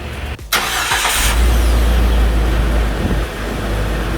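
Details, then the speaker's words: Jeep TJ after starter replacement: brief quick crank, engine catches firmly and settles into a smooth, even idle; powerful start, purring like a kitten. "And she is purring like a kitten, ladies and gentlemen."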